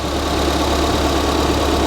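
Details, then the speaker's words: Ford Fiesta ST running after keys were coded back in, first run following repairs; engine sounds really quiet, a smooth, steady low hum with no ticks, knocks or misses: normal healthy idle. "let's have a look at that engine now with it running let's have a look oh it sounds good that sounds really quiet really quiet"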